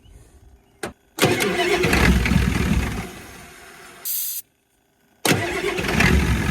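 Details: 1989 Ford F250 7.3 IDI diesel after fitting used injectors, new return lines and new injector cap O-rings: cranks briefly with a little ether, fires and settles into a steady, even idle, then restarts cleanly; no misfire.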